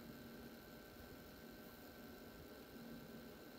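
A steady mid-pitched hum sits over a constant hiss; the pump is rattling against metal and running on slightly high voltage.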